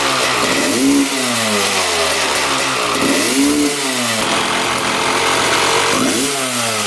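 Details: 1995 Honda CR250 two-stroke, after an engine teardown with crank seal and welding repair for a persistent bog and power valves checked: three quick throttle blips, each climbing cleanly and falling back to idle without bogging. It revs freely and sounds healthy.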